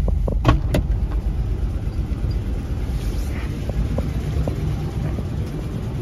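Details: Nissan Xterra at idle with codes for random multiple misfire, knock sensor and engine over-temperature: rough, uneven idle with irregular stumbles and puffs under a low rumble, smoking; multiple misfires.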